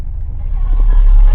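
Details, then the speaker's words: Ford Focus car audio after grounding to the regular ground nearest the radio: engine rumbles low while the speakers stay quiet, with no whine rising and falling with revs. Alternator whine fixed. "it's nice and clear [Music] now awesome so now just solved a a whiny Ford Focus"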